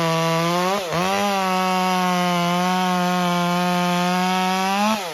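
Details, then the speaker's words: Stihl MS201T chainsaw with a new standard carburetor, cutting: high buzzing note under cut, but revs sag and waver at idle and coming off full throttle. "If you can hear, there's not a whole lot of consistency in the tune, especially at idle and coming off of full throttle."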